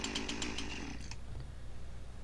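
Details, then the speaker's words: Husqvarna 346XP chainsaw: chain no longer dragging but saw still not running right, uneven surging buzz that hunts; lean running from leaking cylinder base gasket. "so you can see our chain isn't dragging anymore saw is still not running right but the chain isn't dragging anymore"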